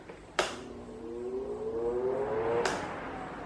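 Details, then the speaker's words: Arno Silence Force 40 cm fan checked for strange scraping noise reported by users; soft steady hum with faint tone rising as blades gain speed, no scraping or rubbing; runs normally. "Não, não, ele tá normal. O é só o de 30 mesmo que tá fazendo esse barulho aí."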